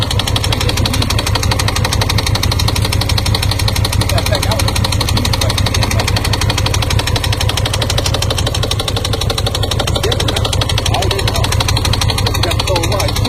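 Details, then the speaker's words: Brand-new 2018 Honda Gold Wing 1800 with only 2,000 miles, at idle: loud rapid rhythmic knocking about three per second over a steady low idle; mechanical engine knock of unknown cause. "someone sent me video of their 20 their brand-new 2018 the bike is knocking the engine was knocking what's your thoughts JC on a 20 1800 going that's knocking in the bike only has 2,000 miles"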